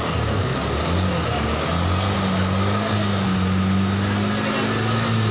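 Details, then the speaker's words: Honda Scoopy injection keyless scooter that stalled and wouldn't start, with weak battery suspected (red battery light); after restoring power, started and runs with a steady, even low hum, no stumbles or misses; normal idle. "kita starter hidupkan Oke ini udah bisa hidup"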